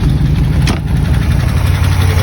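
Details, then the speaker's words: 1964 Buick Nailhead V8 in a Model A (rebuilt 60 over, cam, headers, valve job) after swapping the original rocker shaft assembly for a new set, lifter preload .040, 45 lb oil pressure, light throttle: deep even idle, valve clatter all but gone. "Wow, that sounds awesome compared to what it was. It must have been. It must have been a rocker shaft."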